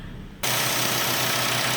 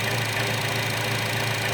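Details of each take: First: 2012 Chevy Cruze 1.4 L at idle: steady sharp hiss over low engine idle from valve cover vacuum leak; scan data shows rich short-term fuel trim, lean O2s; new valve cover fixed it. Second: 2012 Chevy Cruze 1.4L with a valve cover vacuum leak, later fixed by replacing the valve cover: a steady, even idle with no hiss, hunting or stumble.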